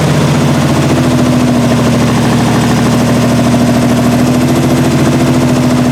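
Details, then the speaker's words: 1968 Triumph TR250 engine first started after body-on-chassis restoration, idle screws backed out two and a half turns: loud, uneven, lumpy stumbling idle that never settles, from poor initial carb setup, loose linkage and timing needing adjustment. "all right so it runs and obviously needs a lot of adjustment as far as the linkages to the carbs are concerned as far as the timing is concerned"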